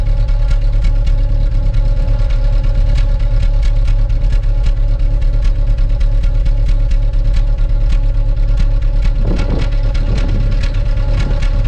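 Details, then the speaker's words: 2005 Daewoo Lanos 1.5 L with Check Engine light, rough idle, hesitation and no power; lumpy idle with uneven exhaust pulsing shows a misfire. An injector drop test showed no change with cylinder 3 disabled. "А в нас судячи по пульсації вихлопу і є пропуски запалювання в якомусь з"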